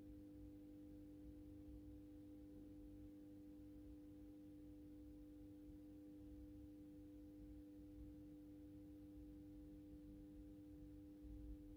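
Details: AEG Minikoffer West German post-top mercury vapor streetlight with its mercury ballast, starting the intended 125 W Osram Deluxe mercury vapor bulb. Quiet, steady low hum at one pitch throughout warm-up: healthy magnetic choke ballast, normal hum.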